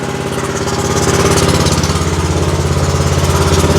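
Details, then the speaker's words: Exmark zero-turn mower with Kawasaki twin, hard to start with low power: lumpy idle with an uneven chuff about three times a second as one cylinder misfires; causes were a fouled bad spark plug and a sticking choke. "the joke was sticking y'all hear it she's only running on one cylinder"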